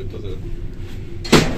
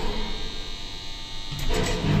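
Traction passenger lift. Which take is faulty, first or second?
first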